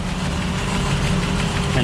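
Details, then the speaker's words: 2005 Ford Escape 3.0 V6 running very rough with no misfire codes stored; lumpy shaking idle with irregular low thuds, misfire traced to the rear bank under the intake manifold, cylinder 3 coil unplugging made no difference. "it's a 3.0 v6 and has a misfire issue so this misfire is in the back by the firewall underneath the intake manifold"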